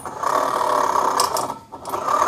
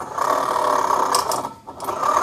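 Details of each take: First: Honda Vario 125 scooter with the pulley cover opened: a rough, steady growling hum at mid pitch that dips as the wheel slows and returns when spun; suspected worn rear pulley bearing, to be confirmed if the noise goes smooth with the pulley removed. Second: Automatic scooter CVT pulley after replacing the pulley bearing, which had caused a growling noise. Spun, it gives a smooth, even mid-pitch whirr with no growl or roughness; the new bearing sounds healthy.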